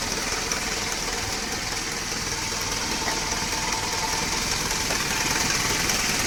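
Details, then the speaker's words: Dodge Raider with 2.6L 4G54 four-cylinder on a Weber 32/36 carburetor after an electric fuel pump conversion, warm after a drive: fires up with a brief key bump, then an even, steady hum with a quick light tick, no stumbles; running well. "Took the truck for a drive. She's all warmed up. Fires right up just by bumping the key."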